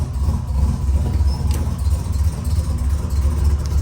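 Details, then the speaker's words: 1987 Buick Grand National turbo, 32,000 miles, abandoned 12–13 years, after a part swap meant to cure loading up: lumpy, uneven idle with soft bloop-bloop stumble about ninety a minute, still running rich with fuel smoke. "So much for that. And as you can see, that was fuel smoke. And it was fat."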